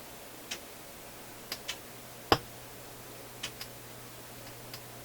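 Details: Philips console stereo receiver output: sharp irregular pops, about seven in five seconds, plus shushing sounds over faint low power-supply hum; voltage drops when they occur, traced by scope from the power supply, cause undetermined.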